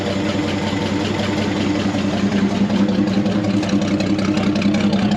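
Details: 1963 Chevy C30 inline six, off the road since 1978, idling on its first start in about 47 years with the oil pressure light off: steady, even low rumble with no knocks or misses. It runs fine.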